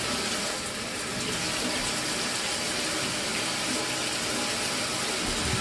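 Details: Mira electric shower (possibly Zora model) after replacing the faulty solenoid valve. It previously stopped and started flowing intermittently after a few minutes. Water now hisses out steadily with no surging or cut-outs: normal continuous flow, fixed.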